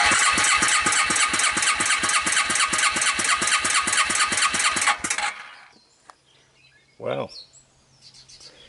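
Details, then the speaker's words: Suzuki Quadrunner 250 4x4 ATV cranked on a jump pack, about 150 psi compression; starter cranking about two beats a second with a sharp metallic tap each stroke; owner suspects a completely loose valve needing adjustment: tapping while cranking. "what do you guys think of the sound of that motor sounds like I got a valve that's completely loose"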